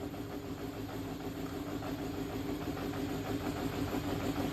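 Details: Yamaha XJR400 4HM engine assembly, start check: steady, even four-cylinder hum at constant speed with no knocks, ticks or rattles and no white smoke; compression tested; normal running.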